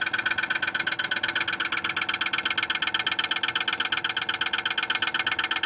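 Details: Viessmann Vitocal 151-A heat pump outdoor unit: fast, even knocking about twice a second with a hissing buzz over the fan; attributed to ice accumulation despite heated tape.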